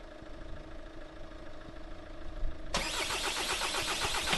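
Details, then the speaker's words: VW Transporter T6 camper, first start attempt after repairing damaged cables and reassembling the engine bay: cranks, catches after about three seconds, then loud uneven rapid knocking over a rough idle. Owner suspects a bad knock from the gearbox area; unconfirmed. "that sounds very loud but we are running here I think there's a real bad knocking"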